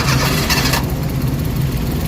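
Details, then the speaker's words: Suzuki DA64/DA63/DA17 engine starting: starter burst then uneven, shaky low rumble with strong vibration, stalls unless throttle held; cause not yet known. "So makikita niyo nag-start ng makina. So ang problema nanginginik. Lakas ng vibration."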